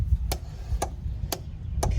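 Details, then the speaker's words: Relay on a 2004 Freightliner MT45 P1200 step van (Cummins 5.9L diesel) with no-start and Eng Comm Fail: tester button pressed, relay gives sharp, even clicks about twice a second over a low hum, then stops; green light, relay good. "You see the relay is working over there. So it will do that a few times, and then it will stop making the noise, and that's it."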